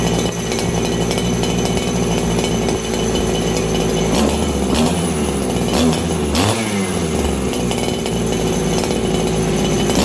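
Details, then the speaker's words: Farmertec 288 90cc kit chainsaw: with the low jet tuned, the high-speed jet runs really lean, giving a hard, thin, high-pitched scream at steady high revs with no burble. Finding: lean high-speed mixture. "Okay, I got my low jet tuned. My high jet seems really, really lean right now. So I'm going to go back in again."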